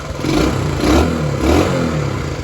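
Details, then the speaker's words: 1979 Honda CT90 Trail 90 after carburetor slide swap and fuel bowl filled, started on one kick, oil checked: revs up and settles twice with a crisp, even exhaust and no misfire or clatter. Running healthy with the choke off. "one kick come on baby that sounds good and I did check the oil holy smokes wow that's amazing I got to say I am in shock myself this thing fired right up"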